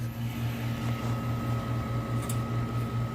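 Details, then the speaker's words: Vintage Coke machine after repair (breaker no longer trips), thermostat on: steady compressor hum, fan whir, faint whine and refrigerant surging through an apparent capillary tube; the cabinet is getting cold. Normal running. "I can hear refrigerant surging through the system appears to be using a capillary style regulating device"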